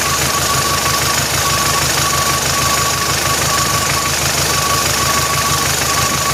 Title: MOTOR COM BARULHO ESTRANHO